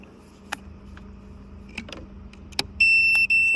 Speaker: So I might as well show you one up here, so obviously you can hear that beeping, so that fuse is fine to go back in.